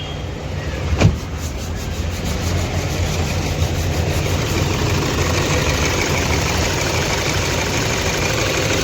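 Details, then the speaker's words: Toyota Fortuner diesel idling lumpy and uneven with heavy rhythmic shake and seat vibration, no check light; starts fine cold but misfires and knocks when warm, caused by two failed injectors. "देख सते इजन कैसा पूरा मिशिंग कर रहा है पूरा ऐसा कर रहा हैद"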